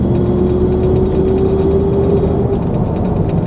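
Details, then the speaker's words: 1994 Pontiac Trans Am driving about 45 mph: steady mid-pitched whine on throttle that fades when lifting off, suspected rear differential, no vibrations felt; whine later mostly went away. "There is definitely a whine. Now, when I let off the gas, it seems to go away. But on the gas,"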